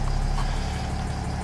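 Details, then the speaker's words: 2008 Mercedes ML 320 CDI diesel, a crank-no-start that had the wrong undersized battery, after charging: starts and settles into a steady, even idle with a smooth low rumble, no misses or knocks; normal idle. "She's running. Absolutely running."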